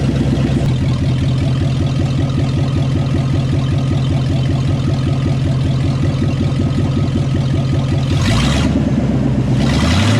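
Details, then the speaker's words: C2500 rebuilt 350 TBI V8, stock apart from a roller cam, first start after reinstalling with the transmission: loud, steady V8 with a deep even beat and a couple of blips at the end, running clean with no knocks or ticks. "I don't know sounds like it's going to be very loud"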